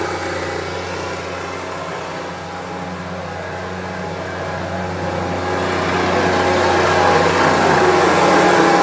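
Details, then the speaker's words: Homelite UT08572 small engine: a smooth, even buzz that climbs cleanly as the throttle opens with no tick or knock; runs normally. "seems to be running really well."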